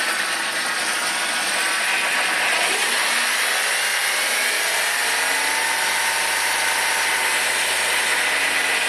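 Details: 1995 BMW 318i M43 petrol engine idling with a busy uneven metallic rattle, which began after water pump failure caused overheating; source unknown.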